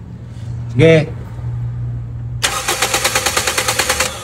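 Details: Toyota Vios Gen 2 with low power on the expressway and no-start, after fuel pump replacement: quick, even starter cranking at roughly seven to eight beats a second, no catch yet; cranking sounds normal.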